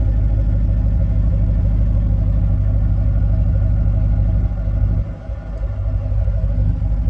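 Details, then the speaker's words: 2009 Mustang GT 4.6 V8 at about 98,900 miles, idle in the engine bay after a cam swap with close to 500 break-in miles: even, deep, steady rumble with no lifter tap, only the loud injector ticking these engines have. Normal idle. "here's the engine bay which is I can hear there's no more lifter tap all you hear is just the uh injectors the loud injectors on these engine"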